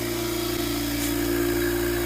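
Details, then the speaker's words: Single-head Copeland oil-lubricated dental air compressor (Apollo) after a part replacement, running up to pressure with the indicator staying green: steady, even motor hum with constant low tone, no knocks or rattles; normal, healthy compressor. "We'll watch this guy go all the way up to pressure and see what a normal sounding compressor sounds"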